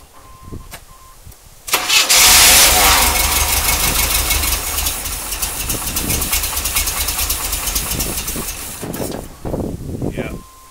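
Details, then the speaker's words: 1980 Chevrolet C3 Corvette that would not start, fed gas directly to carburetor: after short crank it catches, runs roughly several seconds, then dies; owner suspects bad fuel pump, fuel in tank unverified; engine starts then dies. "so it looks like we might have bad fuel pump as well as this you wait the spark but that sounds pretty healthy when this runs correctly because the carburetor is not running the interested"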